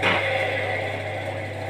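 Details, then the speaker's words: Indesit washing machine drum not turning: motor hum starts and pulses without settling into steady spin while brushes spark; worn motor brushes. "потому что как никак то там шепелев искрят щетки щеточки искрят у нас клапан работает вот такого не было чем он либо вообще не круг либо пульсирует так"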